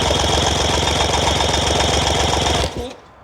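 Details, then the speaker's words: Rebuilt, rebored and honed Yamaha 75hp outboard uprated to 90hp, compression test on cylinder 2 (0.5 mm oversize): even, strong chuffing at about four per second while cranking, reading about 123 psi versus 125 and 128 on others; good, consistent compression. "125, just maybe 2 psi less. Fingers crossed. Everything mic'd up nicely when I measured it all after we'd rebored and honed."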